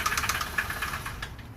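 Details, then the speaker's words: 2007 Honda Civic engine before an engine swap: a fast, sharp rhythmic knock over the idle; broken bearings or possibly a piston are suspected but not confirmed. "you guys can hear definitely probably broken bearings maybe even a piston"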